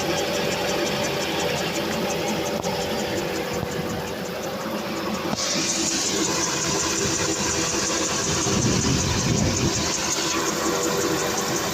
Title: Why is TeeCee making this strange noise?